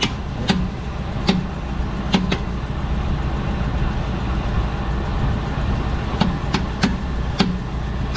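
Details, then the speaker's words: 2012 Dodge Durango Citadel on a jack, in drive under torque load: sharp irregular pops, about nine in eight seconds, over drivetrain hum from the rear axle area; worn rear CV axle joint, greased with no complaints since. "Alright, so what I'm going to do is I'm going to replace this axle, because I'm very sure that it's coming from the axle."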